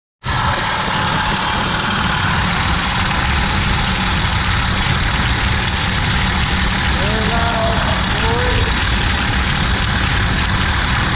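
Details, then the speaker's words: 2003 Ford F150 4.6L idling with a constant rough whirring grind from the worn belt tensioner pulley, with the belt partly coming off; the tensioner pulley is to be replaced. "You can see the tensioner pulley, belt's kind of coming off. That noise coming from that tensioner pulley. We're going to replace the tensioner pulley."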